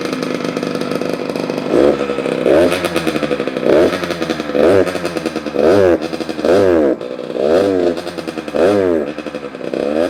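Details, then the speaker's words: Kawasaki KX85 two-stroke after a crankshaft bottom-end rebuild, blipped about once a second and smoking. Raspy, crackly, uneven revs suggest it may be slightly lean. The air screw was almost two turns out, was set to about 3/4, and jetting is to be checked. "seems like it might be a little lean sounds like it might be a little lean so let's check the air screw"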